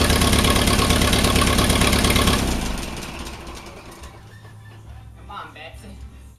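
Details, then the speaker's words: Allis Chalmers WD45 tractor, engine due for rebuild, warming up before compression test: uneven lumpy idle with dropped beat, one side not firing; intermittent, sometimes runs fine. Misfire cause suspected, not confirmed. "But this side is not firing. When you take this off, it's not firing."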